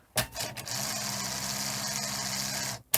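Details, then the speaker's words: Sony SL-HF100 Betamax after a lacing and loading repair: a steady motor whir with a faint low hum for about two seconds, stopping cleanly. The tape lacing now works normally, though it is still slightly noisier than expected. "that sounds more like I'd expect still a little bit noisier um than I would expect but uh it's fine"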